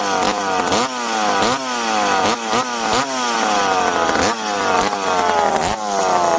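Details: McCulloch PM700 chainsaw, freshly ported, first run after adjusting: repeated crisp revs pulling down into each cut and climbing back cleanly, no stalling or stumbling; running and cutting normally, break-in next.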